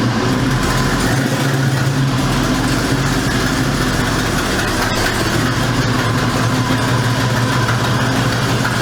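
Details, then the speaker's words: 1973 Ford Mach 1 Mustang 351 Cleveland four-barrel V8, converted to four-speed manual, idled up high, steady rapid ticking puff over the exhaust rumble, especially when letting out the clutch; exhaust manifold leak. "I had it idled up kind of high so if you can't hear the exhaust leak especially when you let out the clutch"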